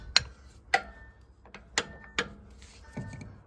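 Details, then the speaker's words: Massey Ferguson 135 tractor front axle struck with a hammer: six sharp taps, some ringing clear and others dull and short; the front axle bolts are loose and move, with a visible gap. "you bolts are a bit loose on the front axle they move so uh yeah we'll uh get the big spanners out and see if we can tighten those up"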